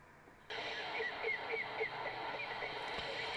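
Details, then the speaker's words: Midland 150M classic AM CB radio on the bench after cleaning, on frequency with normal power output: clean AM reception from the speaker with steady hiss, clear modulated audio and no dropouts; receiver working normally. "as you can hear it's doing what it should be doing which is receiving an AM signal so there we have it very nice condition Midland 150m"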